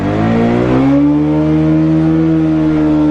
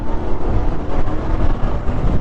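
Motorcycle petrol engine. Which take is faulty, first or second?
first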